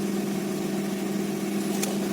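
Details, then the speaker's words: 2003 Honda Accord V6, first run after the cylinder head bolts were torqued into Helicoil-repaired threads, with plain water still in the cooling system: a steady, smooth idle with no knocks, ticks or misses and no check engine light. "it runs very smooth no check engine light yeah it was great"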